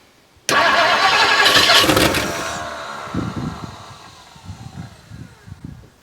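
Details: 1958 Mercury Montclair Turnpike Cruiser, not run since at least 1994, first start attempt after working on a no-spark condition at the points: starter churns about two turns a second, uneven beat, a few near-catches, never starts. Cause not confirmed.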